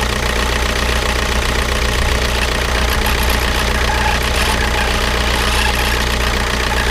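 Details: Škoda Octavia 1.9 TDI 81 kW diesel idling with a hard, rough knock at a steady pace; abnormal noise, possible damage, source still unknown.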